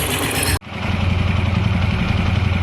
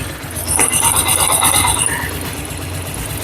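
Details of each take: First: TVS Apache RTR 160 4V motorcycle after tappet adjustment, head reassembled: steady, even low thump at idle with no clear tappet ticking; normal idle. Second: 2009 Bajaj Pulsar motorcycle engine, cold, idling, mic held close: fast light tappet ticking over the low thrum from loose valve clearance; tappet adjustment by mechanic follows.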